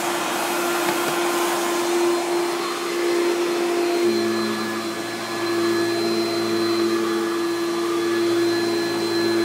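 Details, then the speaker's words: 1995 Hoover Turbopower 3 vacuum cleaner during stair cleaning; steady motor drone with a thin high squeak riding on top, not traced to a part, though it otherwise runs very well. "and as you can hear that squeaky there um but yeah it runs very well actually"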